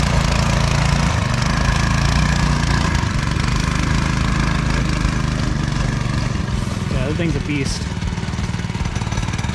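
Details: New 7hp go-kart engine with torque converter, first start after replacing blown 5hp Honda: loud, fast single-cylinder putter, steady and even with no knocks or misses as it runs and pulls; healthy small engine.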